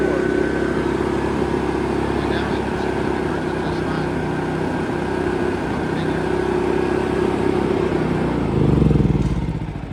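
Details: AIVolt AS8000411 generator with new battery, inverter board and stepper motor, CO, oil and low-fuel sensors disabled: steady buzzing run, brief surge, then winds down to a stop after about nine seconds; keeps shutting off, cause unknown.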